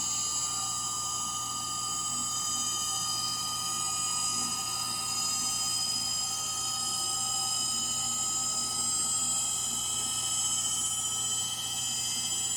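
Steady high-pitched whirring hiss with several sustained tones through the spin, no thumping; worn drive motor bearings.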